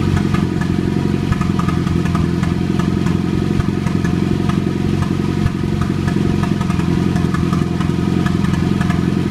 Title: Popping noise